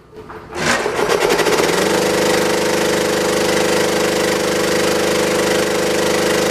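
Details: Scrap-saved single-phase motor on its 240 V design supply starting a belt-driven air compressor after a wrongly wired start capacitor, fitted in place of a run capacitor, was corrected. It pulls the pump up to speed within a second, then steady hum and thump; current draw falls as the compressor oil warms.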